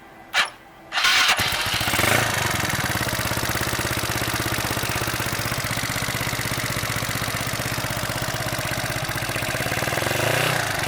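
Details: Mio Sporty scooter with 63mm big-bore setup, after an exhaust leak between muffler and pipe was sealed with a can sleeve, two hose clamps and gasket maker: brief crank then steady, even single-cylinder idle putter, no puffing or ticking; normal idle.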